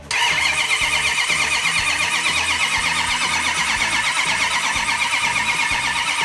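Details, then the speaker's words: 1971 Hemi Cuda V8, fire-damaged in 1999 and sat years, engine cranked with ignition off to prime mechanical cam-driven fuel pump and carburetors: steady, even starter churn with regular compression pulses, no firing; normal cranking. "So Doug, if you wanna crank it over without an ignition, I will let you know when it starts pumping some fuel. Let's crank it over for a little bit, hear how it sounds."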